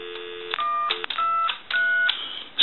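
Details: Telephone keypad on dial tone: three clean, steady two-tone key beeps, each about half a second with short gaps, these keys dialing correctly, though the 5 and 6 keys elsewhere produce a faulty tone.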